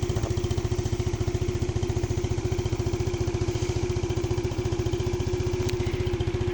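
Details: Yamaha Spark Nano scooter after fixing oil pushed out the breather and white smoke from overfilled engine oil: oil changed, clogged air filter replaced, carb and exhaust cleaned; small single thumps evenly at steady idle, no misses, knocks or rattles, running normally.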